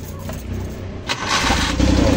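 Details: Rusco multicab that was hard starting in the morning, after replacing the whole carburetor: engine catches almost immediately and settles into a steady run.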